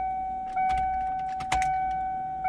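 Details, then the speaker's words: 1995 Mustang Cobra SN95 with 331 stroker, after sitting, fuel pump reinstalled in tank: steady high-pitched hum from the rear rising in short steps with each key cycle; fuel pump priming normally. "Hear it nice and loud right back there. Cycle the key about five to 10 times. Hear the pitch change."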